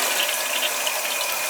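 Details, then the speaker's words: Toilet the owner complained wouldn't flush, with the tank refilling after the flush: a steady, even hiss of water with no sputter or hammering. The fill valve refills normally; the float sometimes needs adjusting. "It's filling up here now. Sometimes you've got to adjust the float a little bit."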